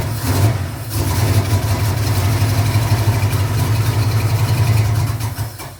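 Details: 1986 Camaro Z28 350 small-block V8, previously backfiring for the last owner, run briefly with no coolant and a dripping fuel line: deep burble fires up and holds a fairly even idle with throttle blips, no knocks or misses.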